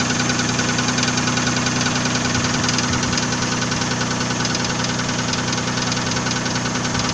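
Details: Nissan VG30E engine at steady idle: a sharp, regular knock at a couple of beats per second; owner asks what is knocking, source unknown.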